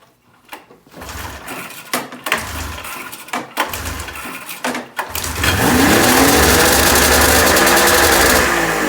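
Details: 1996 Ski-Doo Formula 3 600 triple two-stroke snowmobile, days later with a carb refitted after a stuck-float fuel leak, cold start without choke; after a few pulls it holds a crisp steady high rev without stumbling.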